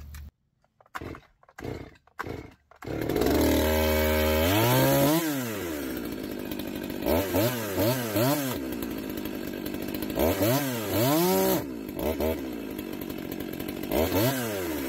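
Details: Holzfforma G111 (MS 200 T clone) chainsaw after chain brake handle replacement, started with the brake on; catches after a few pulls, idles and revs up and down cleanly in repeated bursts; normal running.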